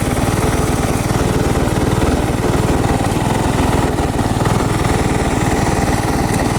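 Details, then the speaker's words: Briggs & Stratton single-cylinder engine on a Craftsman garden tractor, the day after a Nikki carburetor rebuild and mowing: fast idle chugs with a slightly uneven, lumpy beat; runs without stalling but not perfect, cause unconfirmed. "So, it's the next day and uh It's not running perfect, I know that."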